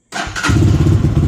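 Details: KPM 200 motorcycle in neutral after air filter change: catches after a brief crank and settles into an even, steady low putter with no knocks or misses; normal idle.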